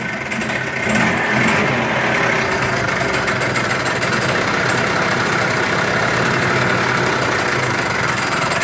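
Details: Yamaha scooter engine (rebuilt with new piston, crankshaft, bearings and seals) idling with a fast, rattling knock; with the variator cover removed the CVT variator was found fully unscrewed and loose on the crankshaft.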